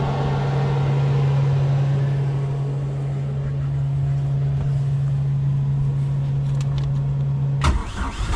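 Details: Bayliner Capri boat with Mercruiser Alpha One 3.0L, after a clicks-but-no-start starter relay fault: a steady low engine drone holds evenly for about eight seconds then cuts off; the starter engages and the engine runs normally.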